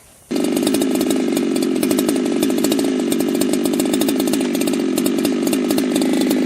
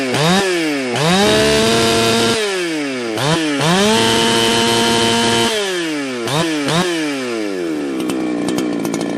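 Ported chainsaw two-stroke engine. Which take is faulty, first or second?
first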